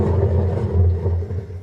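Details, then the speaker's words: Front-load washer drum spinning: worn drum bearings give a deep, steady rumbling roar that swells and eases with rotation; continued use leads to bearing failure and shaft play. "e quando é rolamento essa máquina aqui tá com os rolamentos roncando eles costumam roncar assim"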